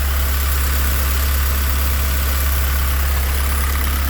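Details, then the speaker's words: Honda CRX with swapped K24 four-cylinder on Haltech ECU, after confirming oil and fuel pressure sensors work, fuel pressure about 43.5: steady, even low idle rumble with no knocks, ticks or hunting, no fuel or oil leaks; normal idle. "and she sounds really good this ising real nice no fuel Le nothing no oil"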